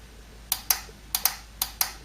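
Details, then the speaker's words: Ford Cortina A4LDe automatic gearbox shift solenoid bench test, plug not yet sealed, 12 volts connected and removed: six crisp clicks in three quick pairs; solenoid switching cleanly (connector polarity matters, internal diode). "I'm just testing that the solenoid works you'll hear a click as I connect 12 volts to the solenoid"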